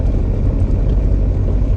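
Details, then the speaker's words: Camaro driven at about 15 mph: irregular low clunks and rattling from underneath; something in the rear end broken, exact cause unknown. "alright so i don't know if you can hear all that rattling but it's safe to say there's something broke"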